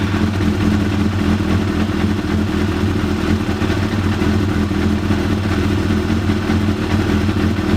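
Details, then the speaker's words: 1993 Yamaha YZF750R four-cylinder after new coils and plug caps seated properly, previously not running on all four cylinders: smooth, even four-cylinder note holding steady with no misses or stumbles; normal running. "And yeah, I believe it's now running properly as it should, all four cylinders, and should now be ready for me just to put back together and enjoy the bike."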